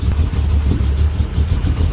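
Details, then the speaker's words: 1985 Dodge D150, 408 stroker small-block Mopar with Comp Cams roller cam, Edelbrock Air-Gap and Holley 850 carb, first startup, cold: deep, loping, lumpy idle pulsing slowly at about 400 RPM instead of 700; idle too low while cold. "it looks like it's trying to run about 400 RPM [Music] so but it's cold so I'm gonna let it warm up"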